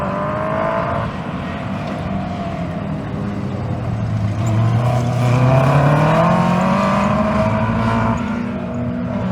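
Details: 2001 Yamaha R1-engined dwarf car with modified square chassis at autocross: high-revving note climbs and falls through the run but sounds ragged and uneven under load; misfiring under load.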